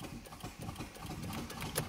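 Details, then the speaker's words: Newly bought Mitsubishi Evo 4 at 94,393 on the odometer (unclear whether km or miles), needing a fuel tank, cranked on a jump pack. The starter turns the engine over sluggishly without firing; the jump pack is suspected. Finding: slow cranking. "is it the battery i mean it turns over slowly but that's probably my jump pack"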